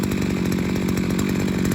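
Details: Seven-year-old 42cc two-stroke 5-in-1 strimmer multi-tool, only the spark plug replaced, with a missing bolt: loud, buzzy, crisp and even at steady high revs, no misfires or surging, clutch doesn't slip; normal running.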